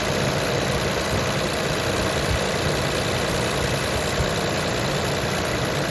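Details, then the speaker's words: 2020 Nissan Pathfinder SL, 121,948 miles, idling after engine flush, coolant flush, CVT service and Sea Foam High Mileage additive: a faint, quick timing chain tick under the engine hum, much quieter than before the additive. "You can still hear the timing chain in there ticking, but it's much quieter than before in my last video."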